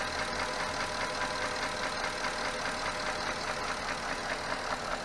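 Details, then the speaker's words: Porsche Cayenne 957S V8 with scored cylinder idling 3,200 km after Ceratec treatment: steady dry clacking through the engine noise, engine slightly quieter overall but clack more audible than before — piston slap. "voilà, le moteur fait un tout petit peu moins de bruit. Par contre, je trouve qu'on entend plus le claquement qu'avant."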